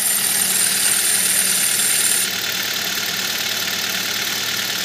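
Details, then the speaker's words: On a cold start, before a belt conditioner spray was applied: high, hissy squeal over a quiet idle with a thin whistle that cuts off partway; slipping drive belt squeal. "Вы это слышите? Только что завел, и он скрипит."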